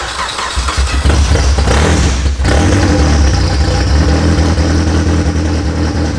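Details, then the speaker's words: Newly built high-compression Honda K-series in a Nissan S13 just after first start, oil pressure confirmed; loud, choppy open-header idle, steady low rumble without knocks or ticks, likened to a drag racer; healthy. "oh sounds like one of them drag RAC that's kind of cool it is"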